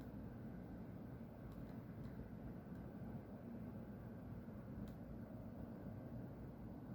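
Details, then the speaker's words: Industrial plant next to a house, heard from a distance, white smoke rising near a tower: steady low heavy roar with no rhythm or change; continuous plant noise of unknown origin. "Eu já havia reparado esse barulho, mas eu nunca parei para observar de onde que é."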